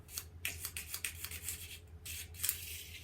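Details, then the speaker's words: Newly installed nitro engine in a DTX 18 RC car, after penetrant spray: the pull starter gives harsh metallic rasps in bursts with each pull, then a longer drag. The one-way bearing feels gummy, and the owner suspects the old starter is scraping. "what is it hanging on sounds like it's hanging on something that's like actually metallic may just be that old starter"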